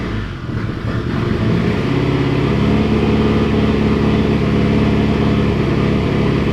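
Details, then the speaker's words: Mitsubishi Evo 8 on first startup after rebuild (Manley rods, Wiseco pistons, HKS 272 cams), in gear with wheels spinning to simulate driving; engine drones under load with irregular popping about three times a second, a misfire of unknown cause. "as you guys can hear they're still clearly something up with the car it's just popping like crazy when I put it in gear and try to like simulate driving"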